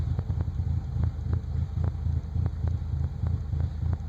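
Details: 1998 Nissan Frontier: uneven, lumpy idle with irregular low thumps and sharp misses about three per second; rough idle, cause unclear.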